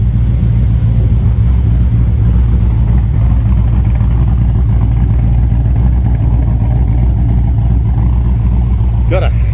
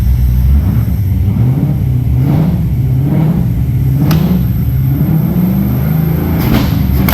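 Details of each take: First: L98 V8, first fire-up, with fuel pressure reading a little low: deep, steady V8 rumble at an even idle with no misfire or stumble; normal idle. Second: L98 V8 first fire-up, fuel pressure slightly low, oil pressure reading high (gauge possibly wrong): rough rumble while revving with several sharp exhaust pops and big backfires. Backfiring.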